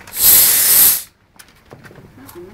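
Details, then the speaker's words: Briggs and Stratton 3hp engine converted to run on compressed air, failed first run attempt: loud sharp hiss about a second then near silence; too much air leaking rather than driving it; compressed air leak. "engine no in your front garage too much of an nail leak around there"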